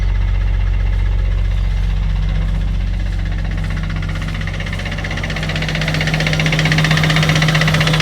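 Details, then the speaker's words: Abandoned Nissan R34 Skyline, about 149,000 km, after fuel tank cleaning: even, steady low idle with regular beat, no misses, knocks or exhaust popping; engine idling smoothly. "so devastating because look how smooth we got the car idling now. Like the car is idling so smooth, and even the exhaust. Like there's no popping from the exhaust either."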